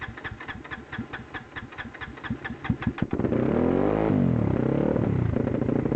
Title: Misfiring and Stalling